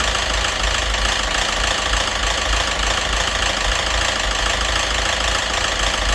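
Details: Citroën DS3 1.6 petrol with hunting idle and diesel-like clatter, codes for rich mixture, O2 sensor and cam phasing, apparently run without oil: loud fast rattly knock at idle, about three a second, unchanged after a part replacement. Source (head or crank) unclear.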